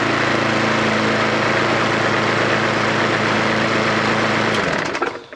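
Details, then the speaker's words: Mountfield SP470 lawnmower, stored for years, first run: strong, even buzz at steady speed with no missed beats until it shuts off; running healthily. "there's no missing the beat draw it's really really strong yeah"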